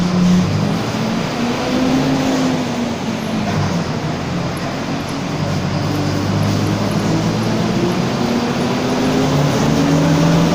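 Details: Torino 2007 bus on an OF-1722M chassis, city line 314, recorded 2018 while driving; a low growl of drifting tone rises and falls with road speed under the engine drone; growling differential.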